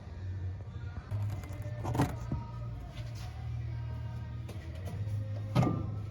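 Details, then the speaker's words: 1930 American LaFrance 200 Series fire engine, stored 25 years, battery fitted, starter Bendix lubed: the engine cranks over freely on the starter with a steady low churning rhythm but never fires. The distributor is dirty and spark is not yet checked. "i had to lube it up a little bit and it's cranking over now it sounds good the motor is free"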